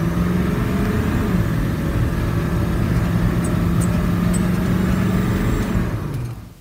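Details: Ford 7.3 Powerstroke turbo diesel after boost leak repair (leaking up pipes welded): steady, even diesel clatter at a settled speed with no hiss or whoosh, then winds down; healthy, power restored.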